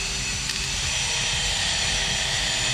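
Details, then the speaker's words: Car radiator cooling fan motor bench-tested after removal and reassembly: steady, even whir with no ticking, scraping or grinding; motor spins freely, normal running. "ya que está girando no se escuchó ningún ruido que con eso nosotros hemos comprobado el motor funciona"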